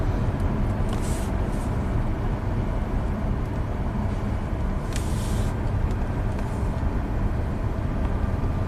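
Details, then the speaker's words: 2008 Subaru Outback H6 3.0L after repairing VVT codes P0011/P0016/P0018 (Dorman electrical parts blamed), driving in snow as oil warms; even engine drone under road rumble with no misses; both banks' cam timing correct, duty cycles ~50%; normal running. "Car runs great. Look at that data. Left and right banks are on the money."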